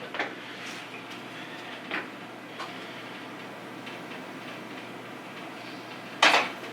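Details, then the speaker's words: 1989 Honda CR500R, non-running, before first kick start: a few crisp clicks as the throttle is released, the slide snapping fully shut; this check avoids a very high idle or flooding from a stuck-open slide. "So always check that for your first fire ups. Make sure you hear that click when you let go. Lets you know that that thing's sitting all the way down."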